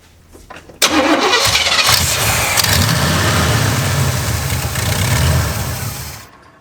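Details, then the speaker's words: Oldsmobile Cutlass with a carbureted Rocket 350 and Quadrajet, after carburetor screw adjustment: it cranks, catches and runs with an uneven, hunting, hissy idle before shutting down. The vacuum leak is reduced but still large; the intake seal is next to be checked. "we have less of a vacuum leak but we've still got a crazy kind of vacuum leak"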